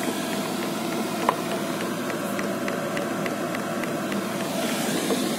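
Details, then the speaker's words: Chinese Webasto-style diesel parking heater in a camper van at startup, blower at full: rapid even light ticks about four per second over fan hiss, dosing pump metering fuel normally, no exhaust smoke yet. "ici la soufflerie et à fond la pompe je sais pas si vous l'entendez"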